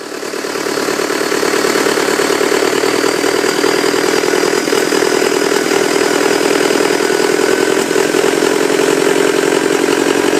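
Steady, even diesel idle with a smooth regular clatter and no knocks or misses; the engine sounds healthy.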